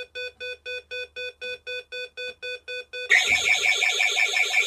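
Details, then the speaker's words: Micromark burglar alarm fitted on a summerhouse, with keypad, siren, door contact and passive infrared sensor, armed then door opened: steady beeps about three a second, then a loud shrill warbling siren; intruder alarm triggered. "so that's it going off it sounds a bit like a euro second object when it goes off"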